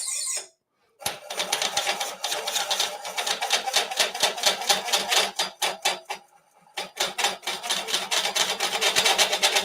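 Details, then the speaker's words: Pre-production bowl coring unit cutting a bowl blank: harsh chattering rasp pulsing about twice a second; blade vibrates because it does not sit properly on its wear pad, a flaw resolved in production units. "So, that's one thing to uh you know assess is if it's making noise, why is it making noise? And in this case, cuz this isn't sitting properly on the wear pad."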